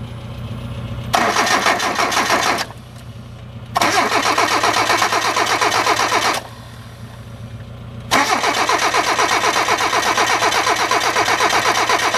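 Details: Hyundai, cranking with coolant temperature switch disconnected then with fuel sprayed in: three bursts of fast even cranking about four turns a second, no firing; cranks but won't start, cause unconfirmed.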